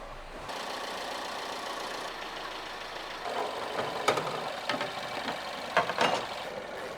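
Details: BMW F20 petrol engine just rebuilt with new bearings, timing chains and gaskets, start-up: steady idle with light, even valve tick and a few handling clatters, no heavy knock; engine runs normally.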